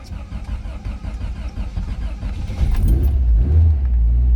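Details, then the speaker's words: 1988 Lotus Esprit Turbo (Stevens X180), completely cold start on choke with fuel pump heard first: catches after a short crank and settles into an even, steady low rumble; healthy cold start. "that's a completely cold start. You can see the temperature gauge here, and already it's on choke."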